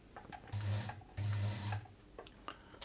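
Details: Bernette 50 sewing machine in for service, badly neglected and lacking lubrication, running with a shrill, chirping squeak over the low motor hum while the squeak's source in the mechanism is tracked down.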